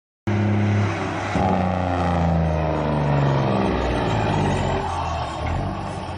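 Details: 1999 John Deere 772CH motor grader diesel, cold start: it catches and settles into a rough, uneven low rumble with wavering speed. Hard starting; cause not stated.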